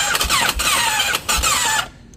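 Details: 2016 BMW F800GS motorcycle that won't start: high whirring bursts with a falling squeal as the starter spins, no firing, then silence; a strange noise and no start, cause unclear.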